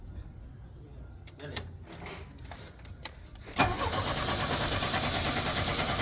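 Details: 1983 Chevrolet Chevette, cold start with pedal pumping: long uneven cranking with scattered sputters, then a rough, ragged run. The car apparently needs mechanical work. Hard starting with stalling.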